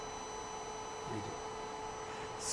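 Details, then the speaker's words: Carlsbro Powerline 300 amplifier after fan replacement, load-tested into a dummy load and pushed to just before distortion (about 80 V peak to peak): steady high singing tone over mains hum, normal for the load at full power. "So, we're going to really push this to the max before it distorts. And you'll hear this really sing."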